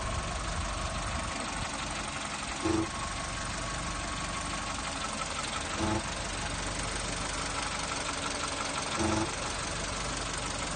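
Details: VW Polo 6N2 1.0 MP petrol engine idling: a short low buzz or hum surfaces about every three seconds over the steady engine hum. Intermittent buzzing at idle.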